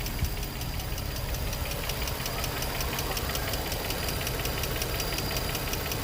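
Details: Infiniti G35 V6, 109k miles, no check engine light, new cats, regular oil changes, idling: steady light tick about two a second over even hum, from one bank's top end; lifters or spark plugs suspected, unconfirmed.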